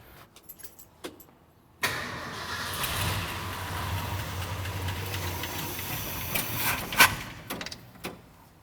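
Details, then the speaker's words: 1972 Ford F-100 V8, sat about 10 years, cranking: steady starter grinding for about five seconds with no firing; no fuel reaching the carburetor; fuel pump filter cartridge suspected. "i don't think i'm getting fuel up there no fuel i must not be getting any fuel yeah nothing i'm just not getting any fuel anywhere yet"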